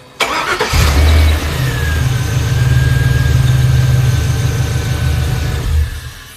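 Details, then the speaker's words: LS-swapped International Scout with aftermarket external fuel pump; owner suspects a bad or missing check valve, so fuel pressure drops after priming: short crank then catches immediately into steady idle when started during pump priming; hard starts after waiting. "and if you wait and then try to start it the longer you wait the worse it gets to start watch yeah it didn't kick right over and then immediately the fuel pressure drops"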